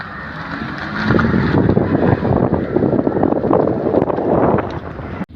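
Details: Maruti 800 driving through a right turn after replacing worn left CV axle (torn boot) with a second-hand one: only road and wind rumble, no clicking or popping; CV axle sounds fine.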